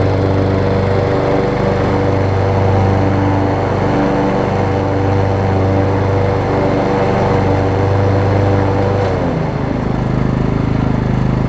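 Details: Over-20-year-old Craftsman riding mower, Kohler Command engine, on a test cycle after the wrongly fitted deck belt that locked the engine was refitted: steady, even fast pulse, note holding level with no knocking or slipping; normal running.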